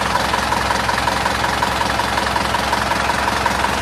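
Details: Isuzu Panther diesel at operating temperature after a drive, oil (Deltalube) run about 6,000 km: steady idle with even, light clatter at about 160 ticks a minute, no knock or miss; healthy.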